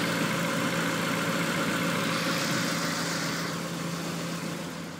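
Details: 1994 Honda Accord after head gasket replacement, milled head, new timing and balance belts and NGK plugs: uneven, lumpy idle with irregular stumble; misfire on cylinder 4 (dry plug), no check engine light.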